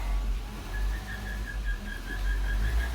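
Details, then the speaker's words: Ford Courier on jacks, engine running in first gear: thin, steady high whine over a low rumble; source not pinned down, not confirmed. "It was sort of like a whining, squealing when the gears are engaged, but it only occurred after a while."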